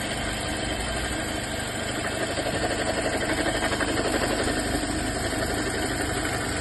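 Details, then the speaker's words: 2018 Toyota Corolla idling with a rough, gritty whir from the alternator belt area, pulsing about four times a second; worn alternator bearing, fixed by replacing only the bearing, not the whole alternator. "2018 ele tá com um barulho aqui na Correia na Correia vou mostrar o vídeo que a gente fez antes o barulho e a gente trocou rolamento do alternador"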